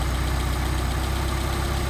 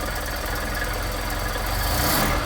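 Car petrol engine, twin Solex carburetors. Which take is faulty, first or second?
first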